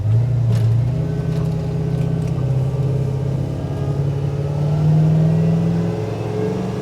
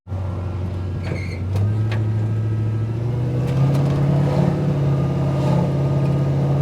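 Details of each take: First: 1968 Chevy truck with an LS swap (5.3, Turbo 400, 600-lift cam): under light throttle the engine drone climbs slowly with no early shift. The transmission upshifts late, around 3,000 rpm, and the vacuum modulator needs adjustment. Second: 1968 Chevy truck LS swap (5.3, Turbo 400, 600-lift cam), speed-density tune, after IAC adjustment: under steady throttle the engine note steps cleanly into second then third with no flare or slipping; normal upshifts, fuel tables still about 5% rich.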